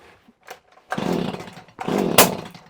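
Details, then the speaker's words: Stihl HS45 hedge trimmer, primed and on choke: two rough pull-start bursts, the second ending in a sharp, loud bang as it backfires on starting; flywheel timing is suspected but not confirmed. "Bang! Hear that backfire? Oh, naughty, naughty machine. Oh, bang, backfire. So we're getting a massive backfire."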